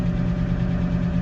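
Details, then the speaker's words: GAZ-66 truck after recommissioning from winter and welded air tank repair: steady, even low idle rumble, no misses or knocks, air pressure reaching 6.5 bar blowoff; normal idle, no leaks heard. "So, idling away. It's up to 6 and 1/2 bar, which is where it's"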